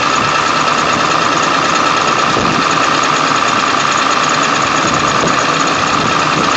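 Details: 1999 Ford F350 7.3L diesel, cold start after sitting for days, block heater plugged in overnight: loud clatter with an uneven lumpy beat about two a second and bad shaking. No check light; a restart runs without shaking, cause unknown.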